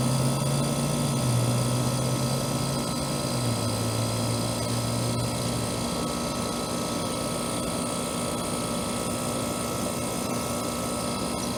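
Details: Trane AC condenser installed the previous June, warranty call for fan-only running; after fitting a hard-start capacitor/start relay, steady even hum with constant fan whir, no rattles or cycling; running normally.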